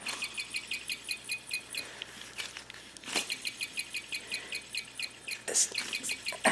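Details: Alternator removed from a Hyundai Genesis 2.0 Turbo R-Spec, pulley spun by hand: rapid high-pitched chirping, about five a second, from worn bearings before front and rear bearing replacement.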